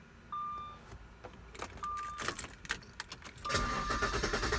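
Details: Jaguar S-Type after new spark plugs: chimes and key noise, then the starter churns steadily for about a second without catching. Crank, no start; cause unknown.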